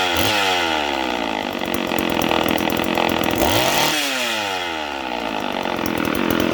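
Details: Homelite 150 two-stroke chainsaw wails at high revs, then dips and climbs back unevenly as the clutch grabs and lets go; speed surging, owner suspects worn brass thrust bearings/sleeves on the crankshaft.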